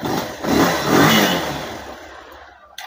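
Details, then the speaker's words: Bajaj Pulsar 220 self-start complaint after a battery change had not fixed it: a loose earth bolt was fully tightened, and now the starter catches at once, the engine fires, revs cleanly and settles. Electric start is normal after the repair. "இந்த மாதிரி லூசா இருக்குறதுனாலதான் அந்த complaint இதை ஒண்ணுமே இல்லை full டைட்தான் பண்ணேன் full tight பண்ணிட்டு இப்ப பாருங்க பக்காவா செல்ப்"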